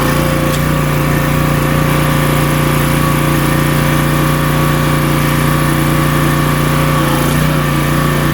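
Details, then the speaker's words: Pressure washer small engine, rebuilt two years earlier, running right after the fuel line was reconnected to the carb: steady, even drone with constant pump hum, no misses or knocks, pressurizing water; normal running. "Or I'd say it definitely pressurized the water. Well, that was good news."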